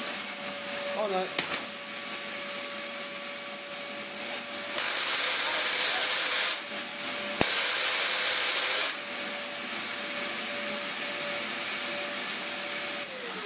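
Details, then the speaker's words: Dyson DC04 Zorbster vacuum stored two years in a shed, with a mouldy bin. The motor gives a steady, high-pitched whine at an even pitch with no grinding or rattle. The motor is healthy, though the clutch is faulty. "so yes we have ourselves a decent motor dyson dc04 zorbster with a chronic clutch"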